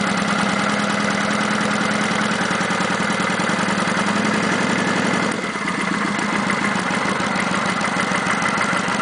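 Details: Kawasaki Vulcan 900 V-twin at idle: lumpy idle with a light quick ticking on top, present since 1,000 miles and on every VN900; normal valvetrain tick, not an engine problem.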